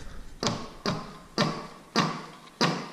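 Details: Old air compressor pump, older than its owner, before replacement: heavy uneven thuds about every half second, like rocks in a cement mixer. The pump self-destructed and was swapped for a new one.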